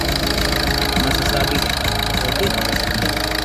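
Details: Peugeot 308 after replacing a faulty injector that caused a cylinder misfire (water pump also new); even, steady idle with no stumbles or shake, no fault codes returning, now revs past 4,000 rpm; misfire fixed, running smoothly.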